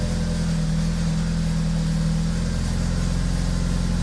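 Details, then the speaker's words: BMW Z4 with swapped N20 turbo engine, after boost leak repair: steady idle with light fast rattle from the rear exhaust valve that switches between loud and quiet modes; flap valve to be fixed next. "Yes, I know there's a rattle. The rattle is in the exhaust. It's the valve that opens and closes the louder and quieter exhaust for the back pressure."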